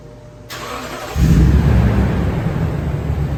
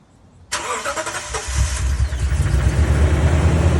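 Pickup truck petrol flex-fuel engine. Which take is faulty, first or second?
second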